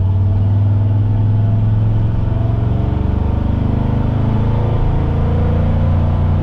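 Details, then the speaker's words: Squarebody Chevy C20 V8 with new Edelbrock 1906 four-barrel carb, stock automatic transmission, possibly aftermarket cam, on road test at about quarter throttle: deep, even rumble, steady pull, no knocks or misses, idle slightly high; normal running. "that was maybe a quarter throttle you know i don't want to beat on it too hard uh stock transmission and everything i i don't need to beat on it but um i tested it earlier it does kick down so the kick down cable is adjusted right but it goes perfect it goes perfectly fine"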